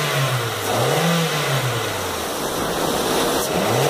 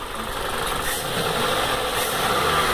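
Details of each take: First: Toyota Corolla 1.8 16-valve automatic, 160,000 km, previously misfiring from a seized fuel injector, after injector service: repeated clean revs rise and fall smoothly with no stumble or misfire. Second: Toyota Corolla 1.8 16-valve automatic misfiring at idle; uneven, shaky idle with no steady beat, misfire traced to a clogged fuel injector spraying poorly.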